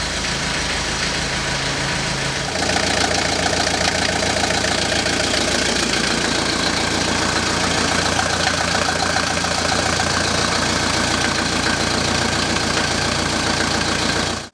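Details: Civil-defence Mercedes T2 406D diesel van, after the leaking water pump was replaced and the coolant refilled, before the test drive. Even, settled diesel clatter at idle with a steady rhythm and no stumbling or odd knocks. Healthy running.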